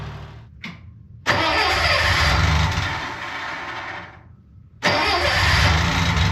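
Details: Budget Bobcat skid loader, about a year into ownership, started in cold weather under 20 degrees: a short crank, then it catches cleanly and settles to a steady, even idle after a brief dip while warming up. A normal cold start.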